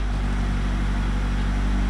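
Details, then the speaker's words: Honda EF sedan engine after rebuild, distributor wires twisted together for a quick test, idle and ignition timing not yet set: smooth, even note with steady low hum, revs up perfectly with no misses. Normal running. "so twisted together some wires to try real quick [Applause] kay revs up perfectly"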